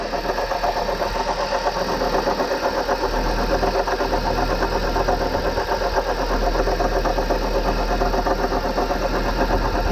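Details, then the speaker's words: 2011 Chevy Cruze 1.8L Ecotec at idle: steady rough whir with a faint gritty rattle from the water pump, whose bearing shaft has failed so the pulley wobbles side to side. Water pump bearing noise. "the shaft that this wheel rotates on can fail and that's what this one has done"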